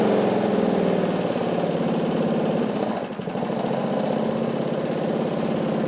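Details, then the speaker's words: John Deere 14SE mower with Kawasaki FC150V engine, first start after sitting: running with no load it chugs unevenly and hunts; owner says it runs well without hunting under load. "If you could hear, it kind of wanted to was like hunting. It's somewhat normal with Kawasaki. Actually, I don't want to say normal, but under a load, aka the blade, it does extremely well, and there's no hunting."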